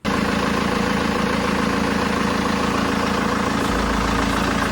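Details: BMW 320d E90 with the M47 diesel, idling after a new serpentine belt was fitted to cure a belt-area squeak: a steady idle with an even low chatter and no belt squeal or chirp.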